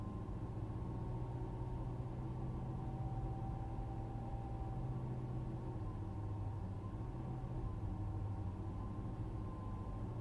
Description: 2015 Mercedes Benz S-Class S600 whining noise demonstrated whilst parked.